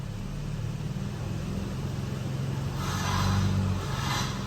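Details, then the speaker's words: Late-model Toyota Tacoma idling in gear on the brake with throttle blips: steady low idle, then a tinny metallic buzz-rattle rising with each blip; loose catalytic converter heat shield. "that sounds horrible doesn't it yo when I heard that noise I immediately got underneath of it and check that that is the catalytic converter heat shield"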